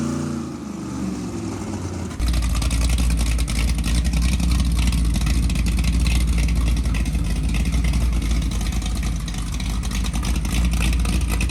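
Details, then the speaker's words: 1963 Ford Galaxie 500's freshly built dual-carb 390 Ford V8 bored to 397 (about 500 hp, compression likely over 10:1) on the run stand, carbs not yet adjusted: fires about two seconds in to a deep, strong, steady rumble, no knocks or misses; running fine. "Be aware that at this time the engine's working fine, sounds like a monster ready to be let loose."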